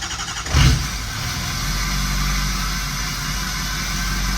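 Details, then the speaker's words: Auction-bought Ford 6.0 Powerstroke diesel just after starting, with one side of the fuel rails opened: deep steady idle with no stumble or shaking, turbo now responding; later lost power on a test drive. "until that's a hill a lot smoother already whole truck ain't shaking until the turbo actually responds now too"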